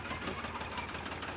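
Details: Tractor diesel engine giving smoke, with a rough, lumpy idle and uneven knocking beat as cylinders drop out; the injector nozzle pipe was found fitted incorrectly.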